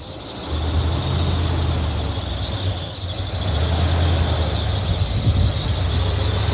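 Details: 1981 Chevrolet C1500 squarebody pickup, V8 freshly rebuilt with new lifters and a big cam, out of winter storage; loud steady high belt squeal over low idle.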